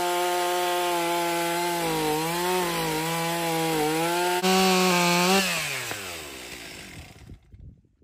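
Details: Stihl MS 362 chainsaw, about 7 years of hard use, brought in hard to start and low on power, after servicing: crisp high-revving two-stroke dipping and recovering as it bites very hard wood (maple or oak), then revving out and dying away; runs strong and clean, normal under load.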